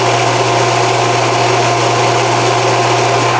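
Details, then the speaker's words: Pool pump motor during home inspection: smooth, constant hum with steady low tone, no high-pitched squeal that would signal worn brushes or bearings; healthy, normal running motor. "So this is what a motor should sound"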